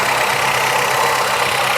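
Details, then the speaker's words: 1985 Toyota Celica 22RE at cold fast idle with revs: a harsh mid-pitched whirring grind holds steady with the revs. The brand-new water pump was damaged when water left in the cooling system froze. "That's the water pump. That water pump's brand new. Remember when I said we left water in this system and it froze? Guess what we ruined?"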